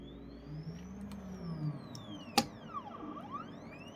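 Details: Anycubic M3 Max resin printer with perforated build plate: smooth rising and falling lift-motor tones with one sharp click midway as the layer peels, plate lifting cleanly, healthy sound.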